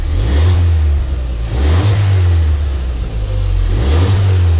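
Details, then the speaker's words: Crashed Ford Fiesta ST on axle stands in third gear; deep exhaust note rises and falls with each throttle blip, pulling cleanly with no knocks or rattles; normal revving. "Oh, the exhaust sounds nice. I forgot about that. With the sport car, that sounds a bit better."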